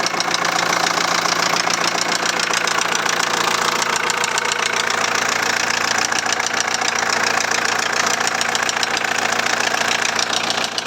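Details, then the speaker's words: 2001 VW Transporter T4 1.9 TD diesel at idle: sharp even tapping about three or four per second, seemingly from the cylinder head; nothing seen under the rocker cover; dropped valve suspected, unconfirmed. "this sounds to me like it's up in the head"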